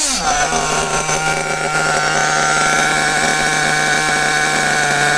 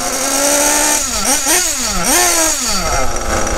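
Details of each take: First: Kyosho-type nitro RC buggy (Bug TT8 RB One) with RB engine, static test after adjusting the mixture: high buzzy note picks up quickly and holds clean and steady, no stumbles or cut-outs; correctly tuned. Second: Kyosho RB One TT8 buggy with RB nitro engine, warmed up: rich mixture, it buzzes up and down but climbs slowly and sags on each blip, struggling to rev even after clearing with throttle blips, and smokes; fix is adjusting richness first.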